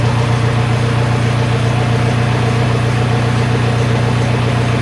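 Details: MK4 VW Jetta TDI with a straight-piped exhaust, started after replacing a seized AC compressor, dryer and snapped serpentine belt: steady, even diesel clatter at idle with no misses or knocks; runs smoothly after the repair.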